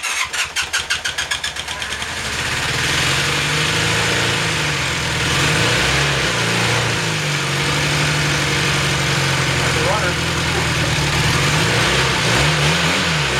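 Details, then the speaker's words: 1981 Honda CM400T barn-find motorcycle, first start after sitting 18–19 years, in neutral and on choke: about two seconds of cranking, then it fires cleanly into an even, slightly fast choke idle; a healthy start. "that was pretty healthy"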